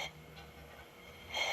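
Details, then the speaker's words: 1920s AGM American Ready-Lite table lamp, dormant for ages, with the valve cracked open: a soft airy sound turns into a steady sharp hiss as air passes through the generator with the tip cleaner down, stopping when it's up. It is working normally. "So when the tip cleaner's down, it's hissing. When it's up, it quits. So that's working."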